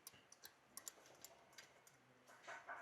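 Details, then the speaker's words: Suzuki Baleno RS, 1.0-litre Boosterjet turbo petrol: light irregular metallic ticking and chattering from the loose turbo wastegate linkage, rattling in a shaft bore worn oval; holding the shaft quietens it, louder while driving. "ഈ ഒരു ടർബോയുടെ പ്രശ്നം എന്ന് വെച്ചാൽ കലപല കലപല sound കേൾക്കുന്നു എന്ന് പറഞ്ഞിട്ട്"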